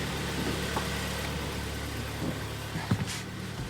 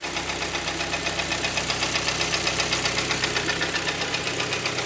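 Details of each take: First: 2011 Hyundai ix35 G4KD, 153,000 km, after repair of coked rings, heavy oil burning and winter cold-start knock: low even idle hum with steady beat, no knock or ticking; engine runs smoothly. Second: 2011 Hyundai ix35 G4KD, 153,000 km, heavy oil burning with coked rings: steady rapid clatter about four knocks a second over idle, appeared in winter on cold starts; cause unconfirmed.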